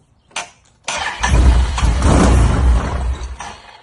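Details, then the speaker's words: Can-Am UTV: catches after false starts and runs lumpy at low speed, loading up with gas as it did before the electrical issues. A throttle position sensor fault code keeps popping up, and owners plan a new TPS and harnesses. "it sounded exactly the same like it was loading up with gas"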